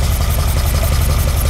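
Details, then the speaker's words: 1978 Ferrari 308GTB V8 with carburetors, after engine sorting, carbs read about 4.5–6 on sync tool: even rapid burble, evenly spaced pulses, no missing beats; all eight cylinders firing, normal idle. "Yes! Yes! It sounds like a Ferrari now, guys. Sounds very, very good."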